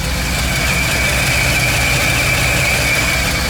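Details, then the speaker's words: 1985 Ford F-150 engine on an HEI distributor replacing failed MSD/Holley unit, warming at about 120°F with target idle 700 rpm, 21% IAC: steady even idle, smooth low rumble, faint AC hiss; healthy. "I got Target idle speed set to 700 so once it gets to 160° or 180 it should settle on that"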